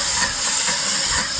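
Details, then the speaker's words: Dake square-piston steam engine with reversing valve, driving a capstan/windlass and run on compressed air instead of steam: quick, even hissing exhaust puffs, no knocks or clanks; runs normally, likened to a Model T. "So, this one sounds pretty much like a Model T or something. We can go ahead and speed it up."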